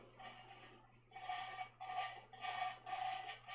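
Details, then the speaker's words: Engine valve being lapped in a home shop (possibly a Mopar slant six): short gritty rasping strokes, about two a second, from lapping compound as the valve is twisted on its seat; a normal lapping grind. "little grindy sounding there that's there's still lapping Compound on there yeah it just sounds like it's sounds like it's gravel well that's how lapping sound"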